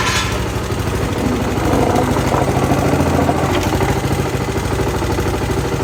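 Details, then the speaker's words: Honda GCV160 engine on a Pubert wheeled brushcutter after repair of a broken exhaust valve rocker arm, with valve clearance adjusted and fresh oil: small single-cylinder idles at a low, steady chug with no knocks or misses, running normally. "Ahora suena como suena un motor de estos normal."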